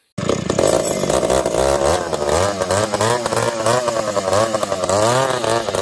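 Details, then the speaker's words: Chainsaws under cut, a 366 and a 70-class saw, fuel suspected: saw screams high and wavers, pitch surging and sagging with sputters and popping; erratic lean running, 366 lean, other alternating lean and rich. "the 366 is lean the 70s all over the place it's lean it's rich it's popping and farting"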